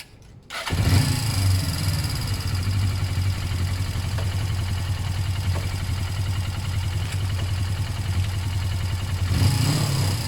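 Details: Suzuki GS500 twin, battery fitted after service and oil change, throttle cable slack adjusted to stop revs creeping: engine fires and settles straight into a steady, even idle with no creeping revs as the bars swing left to right; normal idle.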